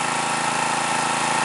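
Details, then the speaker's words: New stock Harbor Freight Predator 212cc single-cylinder engine running mid-range, steady with no popping or sputtering once choke is set halfway (pops with choke off); valves freshly adjusted, 87 octane fuel, about 40–45°F, 1200 ft altitude. "now i said to choke to about halfway and the popping or sputtering it goes away"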